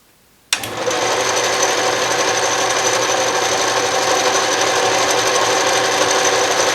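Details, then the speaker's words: Restored 12-inch Atlas Craftsman metal lathe, reassembled, power feed engaged with the carriage moving right: after switch-on a steady, even whir and gear hum with no clunks or grinding, the feed running smoothly. "so as you can see the carriage is moving to the right"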